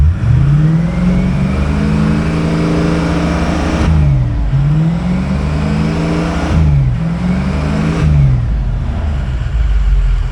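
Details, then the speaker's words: 2004 Ford F-250 6.0 Powerstroke diesel, automatic 5R100, 3.73 axle, donor truck test: deep, even drone rising and falling smoothly with revs, turbo whistle, no knocks or misses; runs healthy. "5R100 goes into gear. Power stroke sounds good. Hear the whistle, see the smoke."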